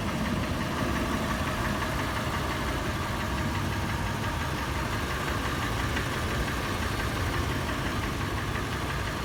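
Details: Toyota FJ warm-started and idling: initial clattering turns into a slower, louder, sharp metallic tapping or knocking, faster in park or neutral and slower under load in drive, and more noticeable when slowing from 1800 rpm.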